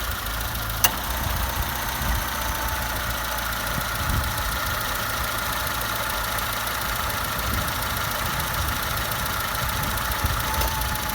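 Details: 2002 Citroën C3 petrol engine idling with a steady rhythmic clunk from the right side of the engine bay (as seated), diagnosed as the A/C compressor clutch.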